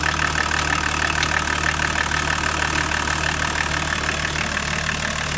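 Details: BMW 525 TDS E34 diesel: steady idle with a sharp, very regular tick about three times a second over the rumble; abnormal engine noise, cause unknown.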